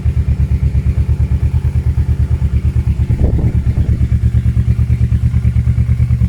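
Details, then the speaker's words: Kawasaki KLE 650 A7 auction bike, warmed up, choke off: even steady twin firing with a clean rev blip, healthy but very loud; aftermarket exhaust needs a baffle in the back. "it is mental out and it does need a baffle on the back but this is a well-known exhaust"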